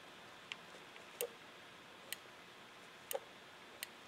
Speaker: so I'm just barely squeezing this so it takes almost no suction pressure at all to get that diaphragm to pull that switch